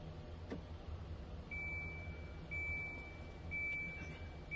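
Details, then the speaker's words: HAVA R01 countertop dishwasher at start with manually filled tank: steady high beeps about once a second warning not enough water added; normal low-water alert. "I had enough water in there but I didn't add quite enough so let me go ahead and move this and add some more water I love that it tells you that you don't have enough water"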